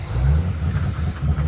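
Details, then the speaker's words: 2014 Chevy 2500 Duramax with EGR delete, valve connector plugged in; low lumpy diesel rumble surging unevenly, won't idle properly or rev under throttle, heavy smoke, no check engine light — hesitation. "I'm actually giving it fuel. Not really wanting to go that good."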